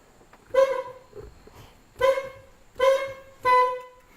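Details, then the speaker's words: 1999 Mercedes ML320 horn: four short honks with a thin, reedy tone and little punch, only one side tooting weakly, previously much stronger; owner suspects rusted contacts, plans to clean contacts or replace horns. "It's just the one on this side that's tooting and it's not doing real well. They were much stronger than that."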